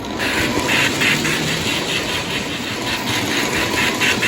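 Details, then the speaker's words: Lionel 6200 turbine (6-8404) tender Sound of Steam after fix: drawbar wrapped in Scotch tape to isolate the tender frame from track ground, stopping the interference; even rhythmic hissing chuffs over a light motor hum, no buzz, working normally. "I guess it's enough to cause electrical interference, which causes the speaker to make noise. But now that I've put the tape around the drawbar, it's not making the noise."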